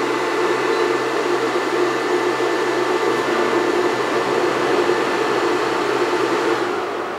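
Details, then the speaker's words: Air conditioner plugged into a 2000 W inverter powered by a 100Ah self-heating LiFePO4 battery reading 13.6 V; steady fan whoosh, hum shifts as the compressor kicks on, about 35 A load, expected to rise toward 600 W; normal inverter and AC compressor start. "on so I don't know if we called it on here or not I'll have to review the footage but the AC unit compressor did kick on this spiked up and now we're actively running with the compressor on"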